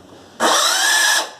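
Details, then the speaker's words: Epson L210/L310/L355 printer at power-on initialization gives a harsh high squeal lasting under a second as the carriage parks, then locks up with all lights flashing; the carriage belt tensioner has slipped out of place. "pero en el momento en que ya termina el posicionamiento emite un swing el traje o un chirrido"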